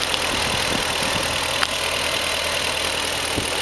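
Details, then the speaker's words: BMW E38 engine, 150k miles, after new Bosch Platinum 4 plugs and Bremi boots (split boots caused knocking), engine cover off: smooth, even idle with light hiss and faint ticking, secondary air audible, no knock; normal idle. "You hear the engine super quiet."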